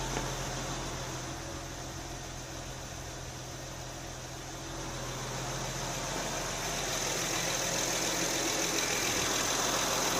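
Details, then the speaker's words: 2008 Honda Odyssey EX-L 3.5 L J35, first start of a 112K-mile replacement engine with new timing belt, water pump and VCM disable kit: steady, even idle with a smooth hum and no knocks or misses. Normal idle. "Well, she's running."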